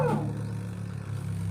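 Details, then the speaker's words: Empty twin-tub washing machine spin dryer plugged in and spun on the timer, reported as noisy and hard to turn: smooth, even low hum with no knocking or rattle; runs quietly and normally empty, may be noisy only when loaded. "Nak nakasaksak na po ito. Na ayun hindi naman maingay ah."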